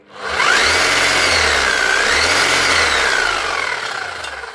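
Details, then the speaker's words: Bosch power tool after fitting spare parts and brushes: motor spins up to a smooth whine that swells and eases off, no grinding or rattle. Normal running. "Doesn't sound bad. Sounds like it's happening."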